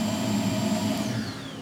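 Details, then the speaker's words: Mercury Milan secondary air injection pump (codes P0410/P0491) bench-powered with jumper wire direct from battery: steady electric whir with clean high whine, pitch sliding down when cut off. Pump motor works normally; computer control not yet checked. "So, I know the pump works."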